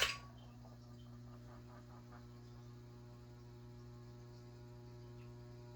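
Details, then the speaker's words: Kitchen ceiling fan after cleaning, running clockwise: steady low electrical hum with faint whirring; motor seems weak and slower than before, possibly a blade not seated right, unconfirmed. "this fan is the motor on this fan is very weak so I may not have one of the blades hiding all the way or something it's not even shaking at all of them yet I'm surprised you hear the motor kind of making some noise"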